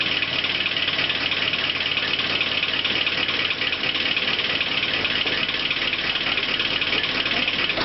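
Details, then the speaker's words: Holden Rodeo diesel at idle: even clapping tick at roughly two per second over the idle, steady and regular; a different clapping noise at idle, cause unknown, though engine otherwise seems healthy. "you can hear the motor making a different noise a sort of clapping noises"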